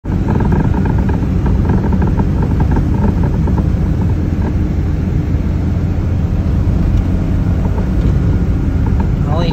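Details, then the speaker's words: Geo Metro driving over small bumps: loose knocks and rattles from badly worn lower ball joint; new CV axles already fixed clicking when turning. "it's only when I'm hitting like these little bumps I don't know if it's a if it's a bushing or"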